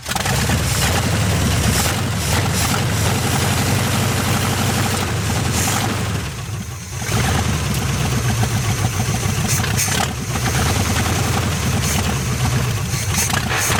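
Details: 1973 GMC square-body truck with a small-block Chevy V8, parked since 2001, now runs a steady, even idle with a couple of clean throttle blips and no misses or knocks; it has a lot of oil pressure and sounds healthy.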